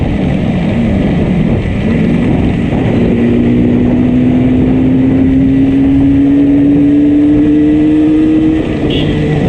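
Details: Yamaha RD350 ridden home: steady, rough riding drone with uneven firing, tone slowly rising as speed builds, heavy in the lows; one cylinder heavily misfiring.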